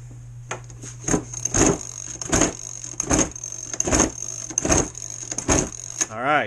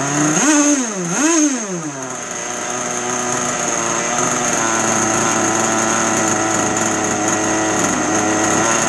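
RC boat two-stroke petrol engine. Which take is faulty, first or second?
first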